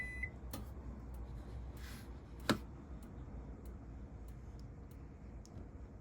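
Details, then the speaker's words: Bailey Phoenix 650 caravan fridge switched to gas: faint sharp ticks about once a second from the gas igniter, stopping once the burner lights; normal. "and you can hear it just ticking in right now once them ticks stop that means that the gas is lit and is being used for this"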